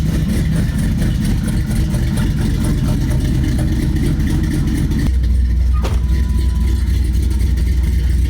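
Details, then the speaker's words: LS V8-swapped Astro van, cold start in the shop: deep, steady V8 rumble at fast cold idle, then the note drops and settles into an even, smooth idle; healthy engine. "But I figured I'd do a little cold start on the LS swapped Astro van here."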